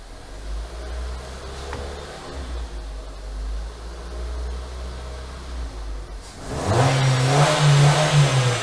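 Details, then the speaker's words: 2018 Renault Duster, H4M 1.6 16V, 45,812 km, whistle from about 1700 rpm, after replacing the elastic alternator belt: warmed engine revved to about 1750 rpm, quiet smooth idle and climb with no whine or whistle. Normal revving. "так друзья в принципе результат на лицо точнее на уши все отлично мотор работает Шепчет"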